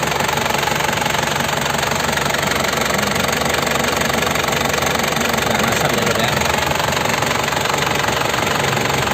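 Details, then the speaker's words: 2003 Isuzu Panther LS diesel, well kept, new Delta Lube oil and filter, engine warmed up, oil filler cap off; steady, even idle clatter with no misses or extra knocks. Normal idle. "Ini mesinnya juga udah saya panasin, suaranya sudah stabil, masih enak."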